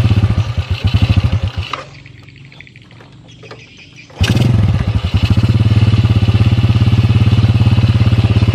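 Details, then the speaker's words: Yamaha Jupiter motorcycle that would stall below 2000–3000 rpm, now holding about 1500 rpm without dying before carburetor adjustment; after a brief stall it settles into an even low thumping idle, about three pulses a second; normal idle. "di 1500rpm kayak gini tuh dia enggak mati ini tanda-tandanya bawa motor ini udah mau disetel"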